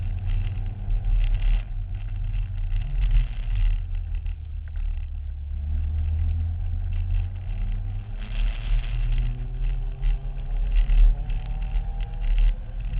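Low uneven engine drone that surges and sags over several seconds instead of holding steady; something is wrong, cause unclear.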